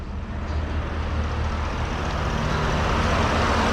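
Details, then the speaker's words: Truck idling about 10 minutes after power steering reservoir service and 1 quart fluid refill: steady idle with no whine or gurgle; pump now quiet, no more cavitation or bubbles. "So I literally just have had the truck at idle for about 10 more minutes since I said thanks for watching, but you can see no more noise,"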